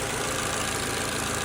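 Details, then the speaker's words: Petrol engine with a P0303 cylinder 3 misfire, after new ignition coil and spark plugs (oily coil, valve cover gasket leaking): idles smoothly with an even steady beat, no misfire. "And listen to the engine. It sounds stable now, not misfiring."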